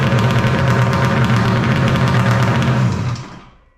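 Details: 1995 Polaris Storm 800 triple two-stroke, 1,500 miles, after setting all three carb screws to 5.5 turns out, air box refitted; smooth even burble at steady low pitch for three seconds before winding down; normal idle.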